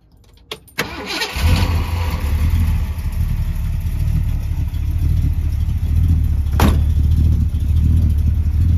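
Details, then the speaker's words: 1964 Ford Galaxie 500 V8 cold start: cranks briefly, catches and settles into a deep, slightly uneven lopey idle while still cold, not too much; normal warm-up. "it's still a pretty cold engine so it might take a minute to warm up has a little bit of a lopy idol not too much"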